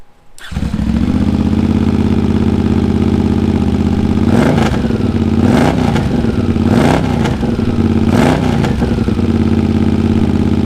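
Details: Honda GL650 at its first start after a full rewire: it catches quickly and settles into a smooth, steady idle with a few clean throttle blips. Stock headers with a crossover run into a merge and Cone Engineering muffler. Normal idle.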